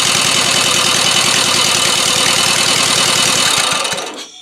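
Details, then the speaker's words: Used 12.5 HP engine after freeing the stuck carburettor float needle, air filter removed, throttle held, no exhaust pipe fitted. It starts well with loud, raspy, even popping for about four seconds, then stops; running normally. "Là c'est un moteur qui démarre bien Là j'aime bien Là ça me plaît"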